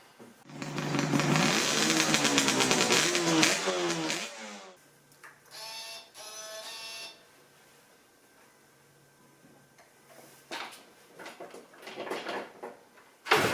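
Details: Yamaha RZ350 two-stroke after lubricating the tachometer and speedometer mechanisms to fix a squeal: revs up crisply and drops back to a steady idle, no screech from the gauge drives; normal running.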